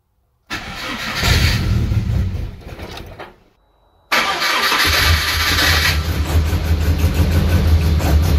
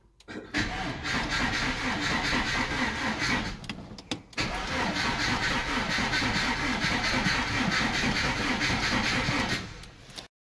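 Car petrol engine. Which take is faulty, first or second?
second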